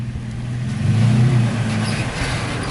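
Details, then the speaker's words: Toyota Tacoma after a sway bar relocation kit install, rolling slowly under light throttle over a bump with the suspension compressed a lot. Only engine drone is heard, with no scraping or rubbing. "yeah dude you compressed quite a bit and you still i didn't hear anything"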